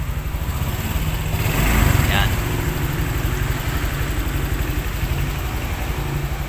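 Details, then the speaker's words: Honda Click scooter, six years old, right after the weak battery was replaced with a new one: starts on one press and idles steadily and evenly with no misses or rattles; the new battery works. "Yun, okay. Isang pindot lang, umandar na. Yan, ibig sabihin yan mga kaibigan, ayos itong battery na nabili natin."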